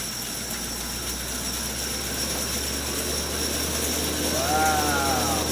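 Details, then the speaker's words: Restored 1925 Oliver bandsaw at first start after 4-5 months of work, doors open: steady whoosh of spinning spoked wheels with light even ticking about three per second, no knocking; running smoothly with very little vibration. "Man, I wish you guys could be here to feel the wind coming off those spokes. running so smoothly. There's very little vibration."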